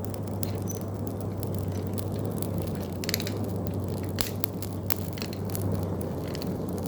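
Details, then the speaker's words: Coal forge with hand-crank blower spun up to speed: steady low rushing roar, the fire's "breathing" sound, over scattered coal crackles; normal forge air draw with the right amount of air. "You'll just hear the crackling of the flames in the fuel. But all of a sudden, when you get your blower up to a certain speed, this is why I like crank blowers, becaus"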